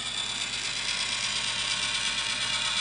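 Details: 1986 RainSoft Q2 water softener: smooth whirring with light gear ticking over a steady hiss of running water as the valve motor cycles evenly, sounding right during the motor and water valve repair.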